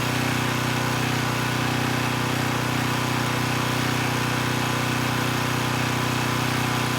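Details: Repaired Coleman Powermate Pulse 1850 generator, 1996 engine, powering a space heater slightly above its 1500 W rating: loud, steady, even drone holding pitch without hunting or sagging, maintaining 114 V at about 62 Hz after governor adjustment; normal running under load.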